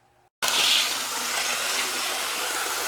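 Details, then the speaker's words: Athearn blue box Union Pacific 53 model locomotive after rebalancing, following rough running and derailing: smooth steady high whir with no rattle; sounds better and feels faster. "sounds better, and it feels faster."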